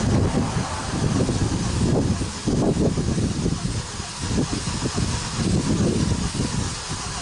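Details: 2017 Kia Optima, burning a quart of oil every 825 miles, first start after a Berryman B12 and Liquid Moly flush soak to unstick the oil rings; starter churns for seconds without catching, a long hard start.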